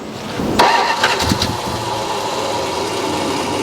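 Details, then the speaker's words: 1969 Dodge Coronet V8 that had sat for a while and was idling high, running with a fuel leak. Short crank, fires and picks up, then settles into a steady, even idle with no misfire or stumble. "We think we I think we got it figured out as far as why it's idling so high."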